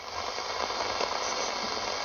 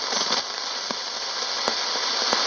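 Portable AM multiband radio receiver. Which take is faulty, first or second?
second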